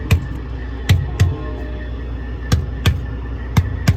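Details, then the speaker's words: Trailer tires struck with a gloved hand (thump test): eight solid, deep thumps with the same dull pitch and bounce. These tires are evenly and properly inflated; only one other tire is low, suspected nail. "so you can hear that all these tires are at least pretty close in tire pressure, but it's just that one that's low, so it's probably got a nail or something in it that's causing it to leak out air."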